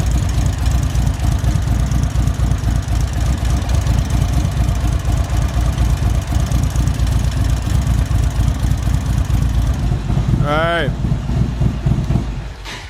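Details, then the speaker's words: 2024 Indian Roadmaster ThunderStroke 116 with Lloydz 585 cam, idling at operating temperature with oil pressure up: steady loping V-twin idle with no top-end ticking. The earlier bled-down lifter noise is gone. "With the valve train, what we think the problem was with that, because we don't hear that noise again, is that one of the lifters bled down. And so once the oil pressure picked up, once the bike got to operating temperature, that noise went away."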